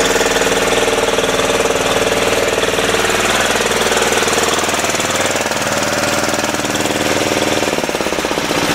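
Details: 10hp single-cylinder LaunTop Yanmar-clone diesel just after a cold start at about -4C. Loud, hard, slightly uneven clatter at about three beats a second. Normal cold running while warming; it smokes for about 20 minutes after starting.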